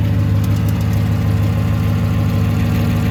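Steady V8 idle with a light, fairly regular tick riding over the low rumble; a top-end tick, source not pinned down.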